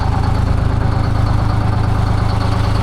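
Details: Blown-up Detroit 6V71 two-stroke diesel in a 1970 Peterbilt 341. Loud idle with a lumpy, uneven beat about three pulses a second, one cylinder not pulling; rough idle with a dead hole, engine still junk though not pushing out coolant.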